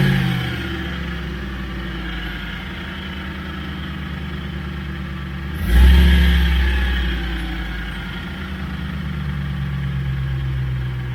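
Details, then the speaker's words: NP231 transfer case with front and rear drive shafts removed, engine running: steady gear whine rising and falling with revs clearly from the transfer case; cause later found to be a different gear cut. "so with the drive shaft off you can very noticeably tell that the sound is coming from the transfer case now"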